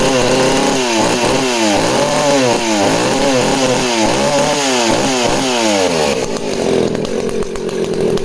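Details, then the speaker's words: Danarm 36 chainsaw running: buzzing with uneven surges and breaks, occasional popping and misfiring; owner suspects the primary coil, not confirmed. "so real Thumper and a banger of an engine but you can hear it's just got that occasional popping and misfiring so I'm thinking that's off the primary coil"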